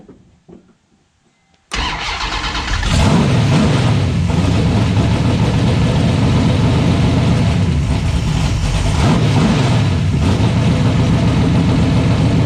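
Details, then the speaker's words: 1970 Plymouth Barracuda, newly installed 400-block 512 big-block stroker with Trick Flow 240 heads, cam, intake and new headers: roars, then surges and hunts and won't settle to idle. Owner suspects a vacuum leak. "Alright, I got to check for vacuum leak or something because it won't idle."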